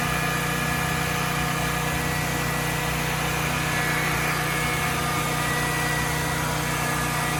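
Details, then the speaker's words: Generac XG10000E generator after sitting about two years, now running after carburetor rebuild and fuel solenoid replacement: steady, even drone with constant beat, no misses, knocks or surging; running smoothly. "hey guys mission accomplished we did it after sitting for probably what was more like uh two years it appears we got the generac uh 10 000 e up and running"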